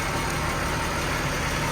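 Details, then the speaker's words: 1996 Jaguar XJ 3.2 petrol with coil-on-plug ignition, slight misfire at idle; unplugging one coil gives no change, identifying that dead cylinder; steady idle with faint uneven beat underneath. "I've tested each one the one in question is this one so when I take this off you can see there is no change at all to the height of the engine"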